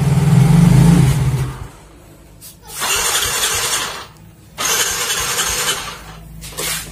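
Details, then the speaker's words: Yamaha Mio Soul GT fuel-injected scooter after a dead fuel pump repair and battery charge, sat a week: three cranking bursts, starter whirring without catching; hard starting. "Jadi motor ini sebenarnya udah seminggu nonggok, jadi ya hidupnya agak susah guys."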